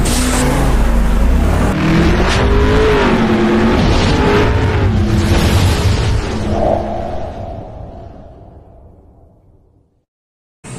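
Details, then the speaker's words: Honda TMX150 Supremo, noisy and lacking power, clutch housing recently replaced: single-cylinder revs then dies away with a loose metallic rattle under the exhaust beat, first thought exhaust; rattle from the clutch housing. "Akala ko nga tambutso yung ingay nito e malakas ng ingay e pagkakatingin ko naun vibration yun sa labas yun hindi hindi sa makina yun ah maluwag lang ano pero Ian ka lang yan clutch housing yan"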